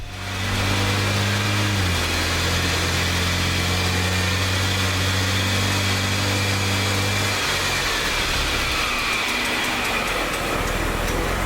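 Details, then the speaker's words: BMW E90 328xi left rear after wheel bearing, hub and axle nut replacement, wheel spun in shop: steady hum with faint light scrape from a bent brake dust shield; bearing drone gone. "so besides a little bit of interference from that busted brake dust shield which we're just gonna knock back real quick um or try to drive it out sounds like our wheel bearing issue is gone"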